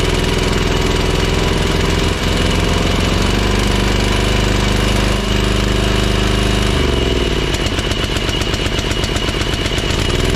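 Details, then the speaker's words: Ferris 52-inch walk-behind hydro mower twin-cylinder, after a spark plug fix, carb not yet cleaned: still smoking, not full power under load; uneven lumpy beat and ragged note when speed shifts, still rough running, cause not yet confirmed. "that's running on that cylinder a little better but not perfect still smoking and it doesn't sound right when you have a load on it it's definitely not getting full power"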